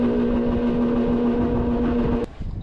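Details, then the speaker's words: Brand-new HVAC blower motor with new mounts and capacitor on the red speed wire: a loud, steady mid-pitched droning hum, probably the worst of all speeds, then an abrupt cutoff. "Probably the worst of all the whole time it's going."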